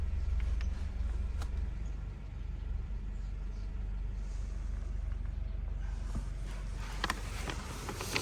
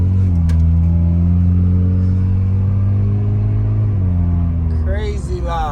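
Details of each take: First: Honda Civic just after exhaust repair at a muffler shop: low, even engine drone with no rasp or blowing, just a soft steady hum; exhaust now sealed and quiet. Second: Honda Civic before the exhaust was fixed: deep, booming low rumble at idle with a slight rev, far louder than stock; sounds like a leaking or failed exhaust that the owner finds too loud.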